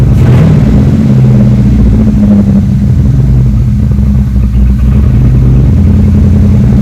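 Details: 3rd-gen Chevrolet Camaro Z28 carbureted V8 idling after new spark plugs and plug wires cured a dead-cylinder misfire: loud, deep, even burble, steady beat, no dropped pulses; all eight cylinders firing properly.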